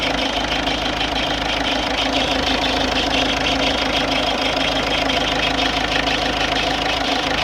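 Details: Ford Fiesta 1.4 TDCi (52 plate) diesel at idle: busy, clattery rapping about three beats a second over the steady run; strange noise of unknown cause.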